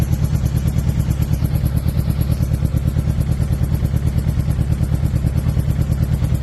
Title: 06’ GSXR 600 Misfire or Dead Cylinder? What do you think? #loud #600 #dead #engine #suzuki #gsxr